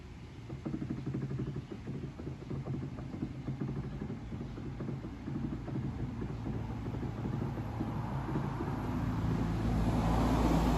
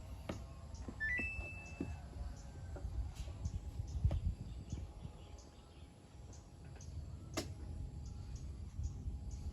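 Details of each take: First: Samsung inverter front-load washer after DC motor rewind (star connection): drum turns in smooth low hums weighing load three times, no grinding or knocking; repair passes. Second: Samsung inverter washing machine drum gives a few sharp knocks, jerks but can't turn to weigh the load, then stops and retries; powers on but won't wash, with water damage found underneath.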